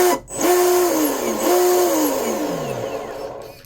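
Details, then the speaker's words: Volantex Vector 70 24-inch RC boat, electric motor bench-tested after binding the receiver and ESC: clean, smooth whine that rises and winds down in forward and reverse, with no grinding or rattle; healthy motor. "Okay. It's actually pretty smooth sounding. Forward, reverse."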